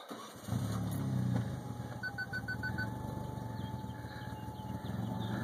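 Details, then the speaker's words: Mitsubishi DSM turbo car just after start-up with crazy idle problems despite connected intercooler piping: engine surges and sags, hunting idle never settles; owner suspects a major vacuum leak, not confirmed. "obviously see I got a major vacuum leak somewhere give it some gas"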